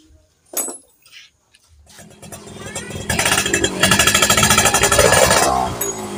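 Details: Yamaha F1ZR two-stroke after pulser/stator coil work to cure popping under throttle: quiet at first, then revs cleanly in a rising buzz with no popping or backfires; running normally.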